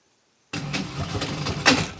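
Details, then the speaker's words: Boat engine cranking after the fuel system primed, owner suspects air in the fuel: uneven turning-over bursts with a hard slam near the end instead of a steady crank; cranking with hard slam, engine binding. "Oh, what? It just slammed soing hard, bro. Something ain't right. It was trying to turn over at least, though. That's And then it slams like really hard."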